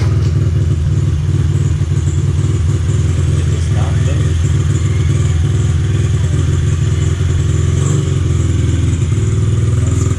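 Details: 2003 Honda XR50 (CRF50F) automatic-clutch single running after clutch adjustment (previously almost wheelied in first gear); steady even low beat, no knocks or slipping sounds: normal running.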